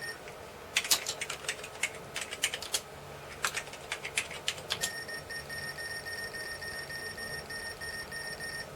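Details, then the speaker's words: Commodore Amiga A2286 bridgeboard (286 PC card) under repair: irregular clicks and chirps, then a steady high beep lasting several seconds whenever the hard disk is accessed, e.g. on directory listing; speaker works, cause of beeping unclear, possibly the card. "the speaker is working but it seems that whenever you hit the desk it be"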